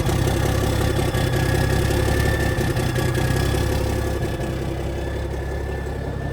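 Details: 1987 cabover truck diesel idling just after its first cold start in years, oil pressure about 40: steady, even low rumble with no knocks or misses, settling smoothly. Normal, healthy diesel idle.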